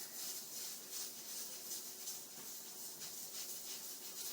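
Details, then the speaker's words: Stove-top pressure cooker cooking pinto beans, about 5 minutes after the heat was turned down: soft, steady steam hiss from the regulator's gentle rocking, about three puffs a second, the normal sign of proper cooking pressure. "and this is the general rocking motion you want every time you cook something in you know anytime you cook something in the pressure cooker it's the same gentle rocking motion every time"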